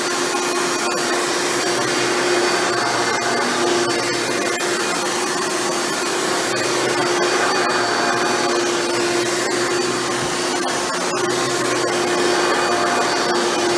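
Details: Hoover Elite upright vacuum after a motor rebuild with new motor bearings, test run: smooth, steady mid-pitched whine holding constant without wavering, rattling or grinding; runs much better than when first acquired. Normal motor run.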